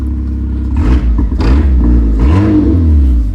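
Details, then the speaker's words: Fiat 500 1.2 with exhaust suspected ripped off rather than rotted: loud hollow roar rising and falling with throttle blips, sounding like a sports car; exhaust leak, blowing exhaust. "And as you'll probably hear with it, it sounds like a sports car, because I think he's ripped the exhaust off rather than it rotten."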